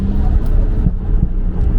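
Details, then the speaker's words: Nissan Skyline R32 with a budget Maxpeedingrods turbo and R35 GTR coilpacks, under load: deep, heavy rumble surging with throttle, no knocking or rattling, and the car shoots flames. It runs well though slightly rich: normal engine under load. "It's running good, like especially when you're like under full load. It could be a bit less rich, a bit on the leaner side, say it like that, but like in general."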